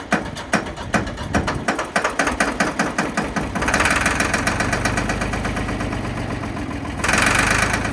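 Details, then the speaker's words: Ford 3500 backhoe diesel, long unused; uneven cranking pulses catch and build into steady rough running on its own, showing injectors and injection pump work; starting and running unassisted. "well as you can see we got it running and I think there at the end it started running on its own power which means the injectors are working which means the injection pump is working so we're buying it"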